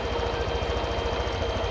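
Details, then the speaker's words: Honda Vario 125/150 scooter idle: idle starts high then drops by itself, used as baseline; steady even low putter, no knocks or misses; normal idle. "ngetes stasionernya lama hidup Sar kemudian mengecil dengan sendirinya ini adalah sebagai dasar untuk penghitungan Idling"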